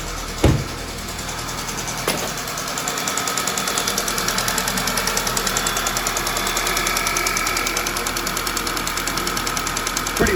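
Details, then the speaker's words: Freshly rebuilt Audi/VW 2.0T TFSI (B8) at idle: sharp even tick about three per second, louder than normal. It seems to come from the intake camshaft area and almost sounds like an exhaust leak at the injector; cause unconfirmed. "it almost sounds like an exhaust leak from the injector to me it sounds like it's coming from the intake cam shaft i believe i can hear it right up in here"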